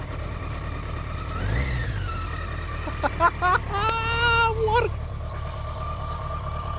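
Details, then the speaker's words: BMW K100RS revived after sitting since 2007, tank rebuilt, new fuel pump, wiring fixed, tank still open: steady low even four-cylinder idle hum, no knocks or misses, under whistling chatter; normal running. "So, as we can see, guys, the bike is running."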